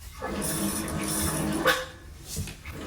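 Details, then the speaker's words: Toilet tank refilling: rushing water with a steady reedy squeal and chirps, water surging as if refilling on its own; a noisy fill valve, to be replaced with a Kohler silent fill valve. "Okay, this toilet's really loud. It's making squeaking noises and very distracting."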